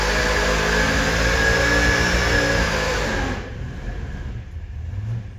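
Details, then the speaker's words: Supercharged 483 big-block Chevy V8 on dyno near 6,300 rpm: hard-revving roar with rough, popping edge at top end, then cuts out abruptly. "it get up to like, I don't know, 6,300 RPM, if that, and just start popping and banging, popping and banging. And it sounded like this on the dyno."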